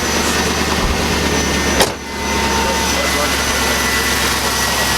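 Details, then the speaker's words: Camaro Z28 V8 sitting about 5 years after Hurricane Harvey flood, first crank after reinstalling plugs and wires: brief catch and dip, then even steady idle smoother than before, no misses or stumbles; normal idle. "So we're gonna crank her up for the first time and see what happens. Hopefully it's good. Oh man, that purr. It hasn't ran that smooth."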